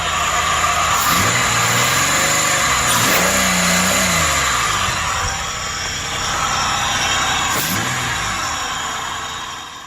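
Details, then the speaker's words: 2003 Ford Explorer 4.0 V6 after timing chain and broken guide replacement: engine revs up and falls back with stumbling, uneven beat, still missing on a cylinder; plug suspected fouled, not confirmed. "i'll put that other plug in still missing i don't know if that's because it probably fouled out"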